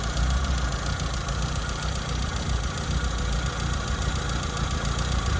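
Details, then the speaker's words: Classic Mini, previously advised and since fitted with a rebuilt engine, not fully warm: uneven, lumpy idle with an irregular stumble, a misfire; wrong resistor BP6 spark plugs fitted and rich mixture; coil, points dwell and gap being checked. "Um, but it's turned up this morning and It's not fully warm yet, but as you can hear, it's got a bit of a misfire."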